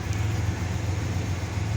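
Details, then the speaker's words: 1995 GMC 1500 pickup, sat four to five years, new battery, first start: low even rumble with steady beat and no knocks or ticks; smooth idle. Brake light on, braking problem to diagnose. "first time starting five years she sounds good four to five years somewhere in there she's set"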